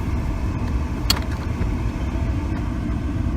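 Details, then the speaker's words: 2010 Ford Escape, mold- and mouse-infested from long sitting, no oil in it, died while driving: deep, lumpy idle that wavers and stumbles; running real bad, cause not confirmed. "you can hear it's running real bad"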